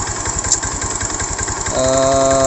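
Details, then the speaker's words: Honda Beat ESP scooter seized after running out of oil, freed without teardown by adding new oil; rough, uneven knocking that keeps pace with the idle; piston or connecting rod damage suspected. "kali suaranya kasar bisa dari sehernya ya Setang Seher juga bisa dari apa"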